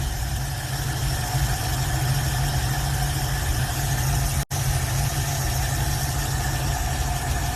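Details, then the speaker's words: Older swapped-in V8 in a hot rod idles with a deep, even rumble and no misses, knocks or surging while the choke is being adjusted: normal idle, purring. "this thing's [Music] purring [Music]"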